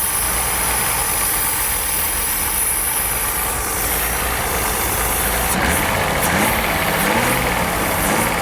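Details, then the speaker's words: Mercedes 280 SE rally car revived after long lay-up with fresh fuel: catches and settles into steady even idle, about three to four firing pulses a second, no knocks; healthy. "It's good to get that going after all this time."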